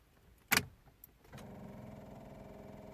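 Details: 2009 Toyota Yaris that won't start: one sharp click, then a rapid buzzing chatter with no cranking. The battery terminals are dirty and corroded on both sides, starving the starter.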